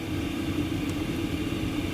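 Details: 8kW all-in-one Chinese diesel air heater in a van after it reached 15; steady, even roar with constant low hum, no knocks or surging, burning cleanly at high output.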